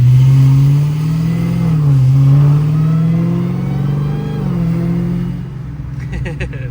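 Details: Dodge Challenger Hellcat V8 on a casual heat-cycle drive after fuel pump modules were plugged back in: deep note rising and falling smoothly with throttle, no knocks or driveline whine; normal acceleration, pulling healthy.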